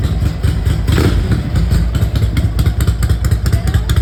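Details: 1982 Ducati 900SS V-twin, first start after 15 years sitting and carburettor rebuild; loose lumpy idle beat about 1.5 pulses a second, keeps running without stalling, normal idle.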